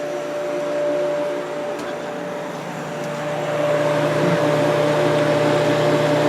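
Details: Kenmore dehumidifier after cleaning, compressor just reconnected: steady hum with a clean tone and even fan whoosh that settles slightly louder, no rattles; running normally.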